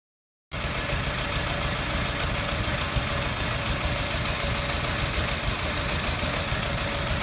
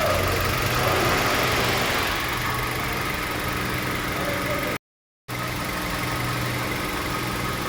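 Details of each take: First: Petrol engine idling with a rough, uneven beat and faint ticking; code P0302 cylinder 2 misfire, traced to lifters that have come out of their guide. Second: Petrol engine after repairing a P0302 cylinder 2 misfire (dropped lifters and a valve replaced, plug and coil changed): steady idle with an even low hum and a soft, regular valvetrain tick.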